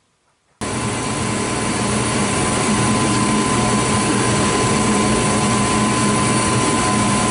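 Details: Furnace that was short cycling, after its flame sensor was cleaned with a dollar bill. The burners light with a whoosh, then hold a steady, even roar with no dropout, staying lit and running normally.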